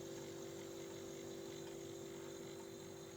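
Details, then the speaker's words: KIC fridge compressor running after fault-finding on a loud bang, smoke and house breaker trip: steady, even, quiet mid-pitched hum with no knocks or rattles, and cooling is felt inside; normal running. "let's give it a little time and see in the inside how it freeze running and very silent"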